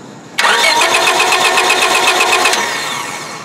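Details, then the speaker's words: 1999 Honda Civic no-start: the starter cranks steadily at about four turns a second with no firing. A test light shows no proper coil-negative flicker, so there is no spark from a faulty ignition coil; the fix is to replace the coil. "pretty tough to see that uh Flicker and crank it again Yep this is a bad ignition coil"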